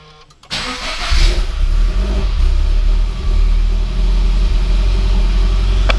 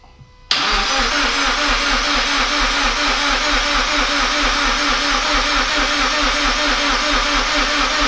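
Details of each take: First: GT86 refitted engine with new forged pistons, rods, valve springs and oil pump, first start after refilling empty fuel lines: brief crank, then it catches and settles into a firm, even idle with a small rev; clean start, runs healthy. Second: Toyota GT86 just reinstalled after forged engine internals rebuild: steady fast starter cranking with even compression pulses, never fires; fuel or spark suspected. Crank no start.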